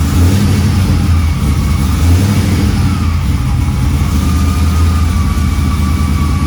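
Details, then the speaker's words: Camaro, not yet tuned, running after fitting a new pump: deep, even low rumble with no misses, knocks or ticks; sounds healthy. "All right, so with the gas pedal taken care of, I think I'm just going to start it up and make sure it runs with that new pump."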